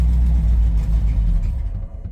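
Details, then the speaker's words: 1990 Ford F250: switching the fuel supply to the reserve tank makes the running engine lose power and die within about two seconds, because the reserve tank doesn't work; engine stalling. "it dies so the the reserve tank doesn't work work but that's something we got to fix"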